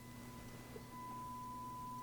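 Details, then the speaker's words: Marantz 2245 receiver on FM: a steady tone jumps louder as the balance knob is moved, showing a dirty balance pot dropping the channel rather than the volume pot; the volume and balance pots need cleaning. "when I play with the balance knob. So, it wasn't a dirty volume knob. It's been a dirty balance knob."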